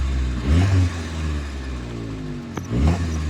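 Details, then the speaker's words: Nissan Be-1 after idle adjustment: two quick throttle blips rise cleanly from steady idle and drop straight back without hesitation or knock; responsive, healthy engine. "Engine is very responsive. Good. There's no knocking or anything."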